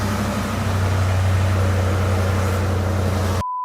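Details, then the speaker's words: 1986 Ford Mustang with EEC-IV, after module fix and with alternator unplugged: engine settles into a steady, even low idle hum with no stumbles or misses; running smoothly now. "this is alternator unplugged that looks great listen how it's running"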